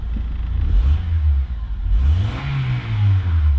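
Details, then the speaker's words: Replacement 2.4L engine in a 2004/2005 Honda Accord, first start after fresh oil and coolant, no check engine light: deep, even note climbs cleanly with each throttle blip and settles back without misses or knocks; healthy. "oh heck yeah, that engine sounds good, guys."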